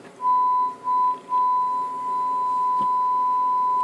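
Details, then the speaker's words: CB radio after replacing two noisy diodes causing static crash: steady pure test tone over quiet background, no crackle from 0.1 microvolt up to 100 millivolt input; receiver audio clean. "I can go from point 1 micro volts up to ten fifty or a hundred millivolts and input and yep it just stays nice and quiet now the way it should be"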